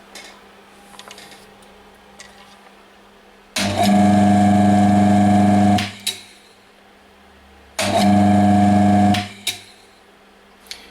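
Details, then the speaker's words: Electric motor identified as a 1400 RPM unit by its slow turning. Two clean starts, each a steady mains hum that holds even for about two seconds, then coasts down: the motor works normally. "does work and it is turning kind of slow which means this is a 1400 RPM motor which is great"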